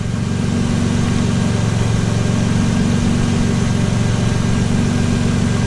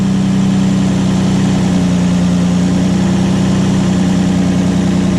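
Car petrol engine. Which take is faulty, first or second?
first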